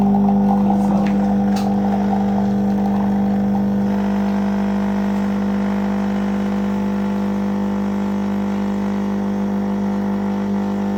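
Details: Zepline ZP6806 coffee machine, about two months old: steady loud mains buzz at even pitch; vibratory pump partly burnt, resistance 1.3 MΩ, likely one winding burnt; replacement pump recommended.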